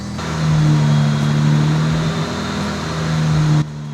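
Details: BMW 335i, N54 engine, after misfire repair: steady, even low hum with no stumbles or skipped beats over several seconds; smooth idle with no misfire, left idling to check for codes.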